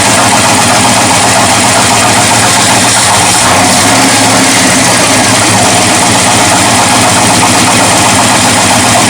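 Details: 1979 Ford dentside truck with a new carburetor, after a timing adjustment: loud, uneven, lumpy V8 idle under a hiss; a vacuum leak is suspected, not confirmed.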